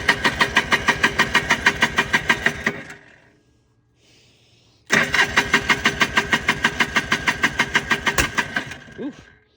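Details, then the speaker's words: 1995 Polaris Trail Boss 250, choke on, feels like it has compression: two cranking bursts about three strokes per second, no catch, sharp backfire pop; owner suspects fuel delivery. "backfire out of the hole that's what we were talking about here we go well thinking definitely fuel delivery"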